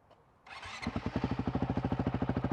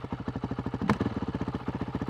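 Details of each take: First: Honda CRF450L/RL single with the Taipan AiM ECU just installed: starts and settles into a crisp, evenly spaced thump about ninety beats a minute. Idle is steadier and more stable than with the Vortex ECU. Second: Honda CRF450L/RL single-cylinder with Athena GET ECU, after stalling in blip test; thumping at about twelve beats a second, mostly even with slight wavering; idle sits a bit low and won't smooth out, TPS already checked.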